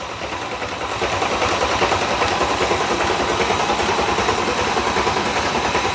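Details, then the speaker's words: Rebuilt Mercedes-AMG M156 V8 in a C63 507, first crank after reinstall, new trunk battery, coil packs unplugged: steady rhythmic cranking about 200 beats a minute with light ticking, no firing; lifters building oil, normal priming. "so we are good to go to do a crank you can hear the lifter's building up"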